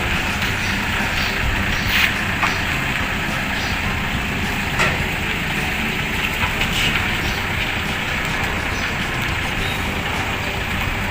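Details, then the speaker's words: Toyota Vigo after both left and right lower control arms were refitted: even road and engine hum on a test drive, no noise when turning the steering wheel; the earlier steering-turn noise is gone. "เมื่อกี้แค่หมุนพวงมาลัยก็ดังแล้วนะฮะแต่ตอนนี้หายแล้วนะ"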